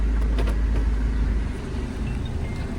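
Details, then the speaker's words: Hyundai Santa Fe after repairing a no-start fault (wouldn't start when check engine light failed to appear at ignition): catches quickly on one crank and drops into an even, low idle with steady pulse, no misses. "Start. Allr. One quick na."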